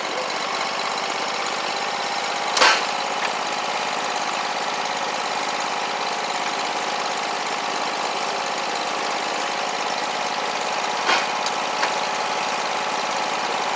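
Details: Scag Tiger Cat II zero-turn, Kawasaki FX691V twin, after repairing bent push rods, broken cylinder-2 rocker holder, stuck choke and clogged fuel filter: steady even engine note at one speed, no misses, pops or backfires, both cylinders firing; normal running.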